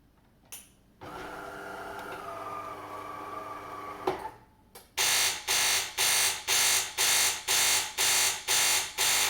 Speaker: it no longer pumps water and makes a very loud buzzing sound